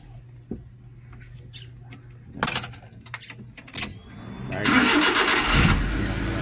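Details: Suzuki Big Eye that was hard-starting, after the ignition socket was replaced: a few clicks, a brief starter spin, then the engine catches into a steady run. Normal start.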